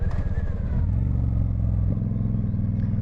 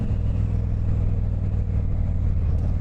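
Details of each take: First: 1995 Honda VT1100 Shadow ACE V-twin, recently run after sitting for a few years, on the road under throttle. Loud, lumpy beat with a crisp exhaust note rising and settling cleanly; engine sounds healthy despite the very loud exhaust. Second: 1995 Honda VT1100 Shadow ACE cruiser, recently run after sitting for a few years, ridden on the road. Loud, deep, booming exhaust rumble, way too loud, about 72 dB measured stationary at one meter by phone.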